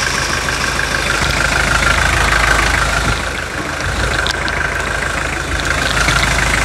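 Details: 2003 Toyota Hilux 3.0 naturally aspirated diesel, 5,000 km after overhaul, first cold start after adding Bardahl Prolonga: steady idle with an uneven knock about three per second over the clatter; worn-engine knock persists.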